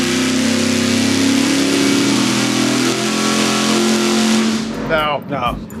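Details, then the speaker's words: Roughly 500 hp engine on a dyno fed by a 20 gallon-per-hour mechanical fuel pump: screams through a long full-throttle pull, then stumbles and cuts out at the top as the bowls run dry; lean fuel starvation at high rpm. "surprised you stayed in it that long I know I was I was leaving it hang in there at like 14 when I 143 that could not hang"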